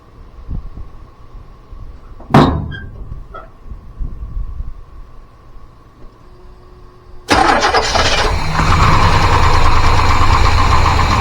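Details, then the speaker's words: 1985 GMC C25 with 454 7.4L V8 and Turbo 400, unsolved fuel delivery problems: starts and runs loudly and unevenly with steady belt squeal. "Sorry for the bu belt squealing if you happen to hear that."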